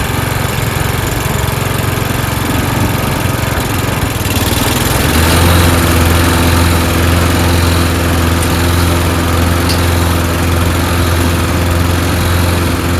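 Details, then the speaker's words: Toro Recycler mower being pieced together from broken units, first start after fuel added: rough for a few seconds, then a steady, even single-cylinder drone; engine and blade PTO work; owner suspects stripped rear-wheel drive gears. "Right. Okay. So we know the engine works, right? Clutch system, PTO, engaging the blades when you want it to, works."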